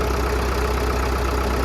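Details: 1937 Caterpillar RD4 crawler tractor/dozer, started after sitting for many years; steady low slow diesel chug, no knocks or misses; normal idle.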